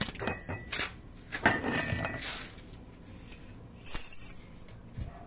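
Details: Light metallic clinks and shrill jingles in quick clusters as the brake is pressed; a loose brake spring is catching deep in the wheel assembly, with the rear wheel suspected; moving the spring down stopped the noise: loose brake spring rattle.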